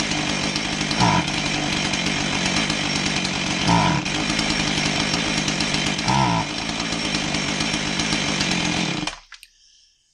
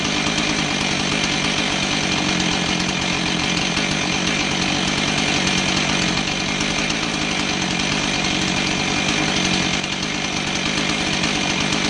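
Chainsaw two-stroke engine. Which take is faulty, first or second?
first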